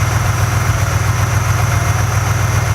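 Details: 2005 BMW 645Ci V8 after alternator replacement, charging over 14 V, car had sat a while: smooth, steady idle with an even low beat and no belt squeal or chirp; sounds healthy.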